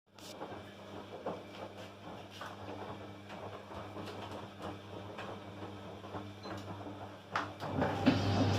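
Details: Tumble dryer: steady drum rumble with a light, fairly regular ticking about four times a second as it turns, sounding like a rotation fault but caused by two seeds caught in the drum.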